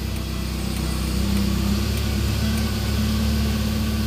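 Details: 2002 Suzuki Baleno engine idling steadily and evenly with no stumble or strain after the battery was replaced; before the swap it would not start and ran roughly.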